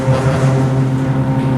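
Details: Original Montgomery hydraulic freight elevator #2, Santa Rosa Plaza, during a ride: loud heavy droning hum with a pulsing, labouring throb; hydraulic pump straining, which the uploader attributes to severely low oil.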